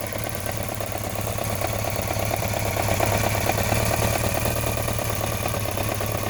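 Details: BMW K1200RS at idle: quick light ticking about three per second over a steady idle; owner unsure whether throttle body, cam chain or valves, leaning toward throttle body.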